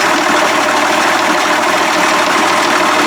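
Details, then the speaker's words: 1992 Johnson 60 hp outboard idling in a test tank, steady buzzy and even; carbs set back to one and a half turns, still seems a little too smoky and rich. Owner suspects heavy priming from the key switch. "so last time i turned my cards out back to one and a half and i came off just a hair more often still seems to be a little bit too smoky"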